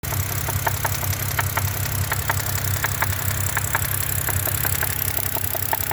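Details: 2011 BMW 328i N52 inline-six at 148K miles idling with a sharp knock about one to two per second over a smooth low hum; rod knock suspected, not confirmed.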